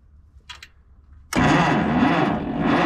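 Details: 1957 Case 310 Terratrac loader, unrun for over 20 years, with a motor said to be seized and electrical issues, during spark testing. The starter churns steadily and roughly but the engine never catches; they think the points may need cleaning.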